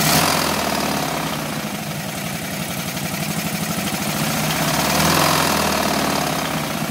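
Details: 1981 BMW R100RS engine, first start after years standing, with replacement Audi/Golf coils and Mikuni VM32 carbs: rough, uneven, smoky idle with steady knock about 3.5 per second over the exhaust; big end knocking on right cylinder.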